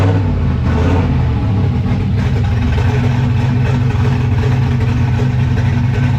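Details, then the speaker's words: Turbo LS 5.3 Vortec Camaro with new self-tuning Holley Terminator Max ECU, first startup in garage, running a little rich: loud, deep, lumpy idle loping unevenly just over 1000 rpm, a big cam's normal choppy idle, nothing wrong. "man that idol's good for that big yeah man ain't that choppy like a little over a thousand still though that's where it's going to be with a big cam"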